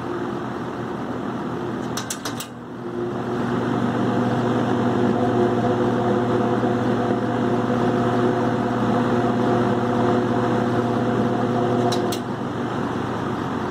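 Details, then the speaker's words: Vintage 20-inch box fan, model 20137, running with blades on high. Steady hum with a faint rough rumble under the blade noise, less on medium or low. Worn fan motor bearing. "Alright, here it is with the blades. You can definitely hear the bearing run out there. Less if it's on medium or low."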